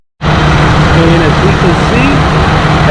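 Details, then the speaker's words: After A/C clutch and pulley replacement, engine running with A/C on and the clutch engaged: steady, even engine hum, no wobble or rubbing noise; repair successful, air blowing well. "all right you guys the air is blowing amazing and i hear no more wobbling no more squirming oh that's beautiful"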